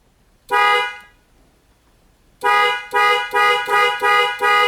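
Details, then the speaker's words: Toyota Tundra with an inoperative horn and a faulty clock spring; grounding the horn wire directly gives a clear steady blast, a pause, then six short toots, so the horn itself works normally. "so that's the whole wire so when I grounded this wire we should hear the horn blow can you guys hear that"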